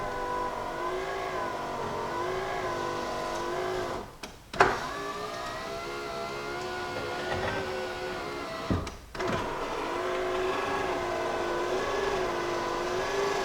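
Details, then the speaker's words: 2001 Jeep Cherokee XJ passenger-side power window after regulator replacement with a used part: even motor hum with two brief stops, smooth travel without the earlier clicking, just slightly slow; normal power window operation. "your circumstance might turn out a little bit better than the mine but it still works for now it's not McKinney clicking noises like how we did before it's just a little bit slow but that's we're gonna get when you still use a used part"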